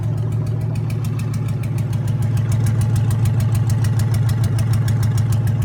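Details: Junkyard 2009 5.7 Hemi V8, about 80,000 miles, with Hotwire harness and 09 Challenger PCM, idling on a run stand with coolant and fans running: even, steady burble with regular firing pulses, no knocks or misses. Normal idle.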